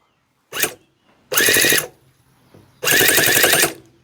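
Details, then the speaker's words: Newly built tiny 7cc four-stroke twin-cylinder nitro model engine, plugs soaked: three high buzzy starter bursts with uneven chatter, never catching; possibly too much fuel. "that's not sounding very happy at all is it no is it too much fuel"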